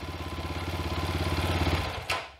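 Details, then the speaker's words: 2020 SSR Motorsports SR300 single-cylinder dirt bike after Lectron carb install: crisp, even thumping that drops off cleanly, then a quick blip; runs and revs strongly, normal running. "this bike sounds incredible cannot wait to ride it guys"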